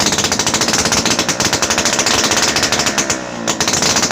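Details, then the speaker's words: TVS XL Heavy Duty moped, after falling in a river and having water cleared from the engine and silencer, plug cleaned and started on choke: a quick even two-stroke popping beat of about nine pulses a second with a brief dip, now starting and running cleanly. "ஆக்சுவலாக வண்டி start ஆகிடுச்சு."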